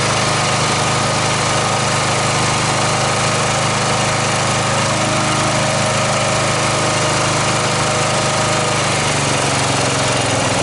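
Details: Snapper 38-inch scrap riding mower idling; steady, even low drone, no knocking, misfires or surging; sediment bowl gasket suspected of dripping fuel, owner says it sounded pretty good. Normal idle.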